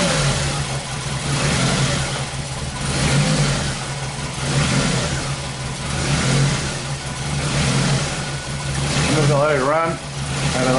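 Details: 2001 Ford Focus Zetec with a long-running misfire history despite a new OEM coil and a timing belt done years ago: rough idle that swells and sags every two seconds, ragged misfiring beat, worse as it warms up; coil current looks fine.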